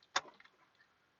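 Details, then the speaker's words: Chevy Trailblazer 5.3L V8: turning the key gives one sharp click and no crank, then silence, though battery voltage looks good. A single click rather than multiple clicks points to a failed starter motor, not the battery or alternator. "and now when we turn the key you hear that one click usually if it's your battery or your alternator it'll kind of be like like you'll kind of have like multiple clicks"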